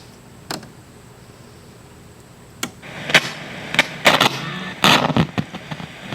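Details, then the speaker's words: 1971 JCPenney model 1758 solid-state stereo, stored decades in an attic: sharp crackles and pops in bursts over quiet hiss as the volume knob turns; dirty, scratchy volume potentiometer. "so you bet we got lots of static on the control we're getting some noise there"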